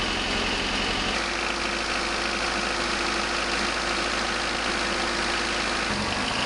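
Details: 1988 Honda CRX Si after engine removal, timing belt and water pump replacement, first start: smooth, steady idle holding even speed with no knocking, ticking or hunting; healthy engine.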